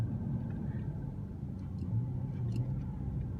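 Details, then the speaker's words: Ford Crown Victoria, starting with the owner doubtful it would start: it runs at once with a low, quiet, even idle rumble and no tapping or stumble, a normal healthy engine. "oh boy it's running look at that already yeah this thing is this why i love crown fix so much"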